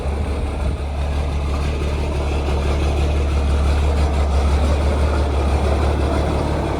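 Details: Heavy diesel truck warming up outside in the snow after start. It settles into a steady, even low rumble with no knocks or misses; a healthy warm-up idle.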